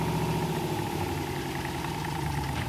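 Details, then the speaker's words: 1966 Corvette, unrun 30 years, with new transmission, idling in drive while warming the transmission to check fluid level; steady even low rumble, no clunks or whine, clean engagement. "oh we have drive dude let's just warm up the trans and shift it through a few gears so we can check the level"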